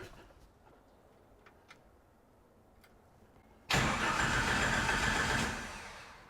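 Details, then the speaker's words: Jeep YJ-based Willys Wagon that stopped running. A few faint relay clicks at key-on, then steady starter cranking with no fuel pump buzz; both relays are good, so the fuel pump has failed and was replaced. "good news the relays are good bad news I think we have a fuel pump issue the starter is working"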